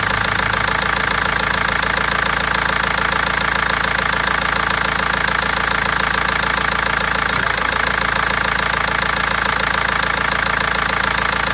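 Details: BMW 320d diesel with a sharp, regular clatter of about three knocks a second over the idle and an uneven misfiring beat; injectors or tappet suspected, cause unfound by garage and seller for over a month.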